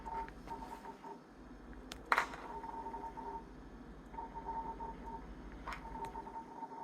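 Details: Jenn-Air French-door 3-door refrigerator with ice maker: short high-pitched chirps repeating about every second over a quiet fridge hum; manufacturer support calls it expected; source not identified.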